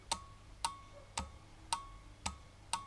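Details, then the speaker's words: Bench demonstration for the Yamaha XS1100 wiring: a relay with a diode on pins 85/86 at the correct polarity gives sharp, even clicks about twice a second, showing the relay is working. With the diode reversed, nothing happens. "you can hear it clicking, which means that it's working."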